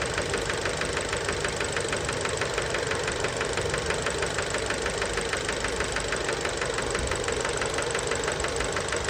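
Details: Fiat Bravo 2 1.4 T-Jet 150 HP at 215,000 km, after recent maintenance, close to engine: regular light knock about three per second over steady idle; worn rod bearings confirmed, car scrapped, cause unknown; rod knock.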